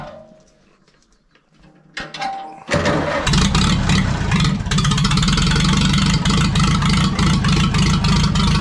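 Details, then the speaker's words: Farmall B tractor engine cranks, catches on fresh gas and settles to even low open-exhaust idle about three beats a second, running without coolant; governor shaft rebuilt because it wouldn't idle down fully, now idles down properly; normal low idle. "that idle's down a lot better too that was part of the reason i went rebuilt that governor shaft because it didn't want to idle down all the way"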